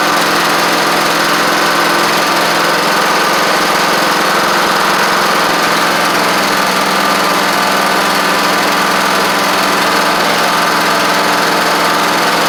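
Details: Troy-Bilt Horse XP on its replacement engine, first run on its own, in the evening with the owner skeptical of the carburetor. Steady, even single-cylinder drone holding one speed with no knocks or misses; it cranked up and ran great. Choke sticks.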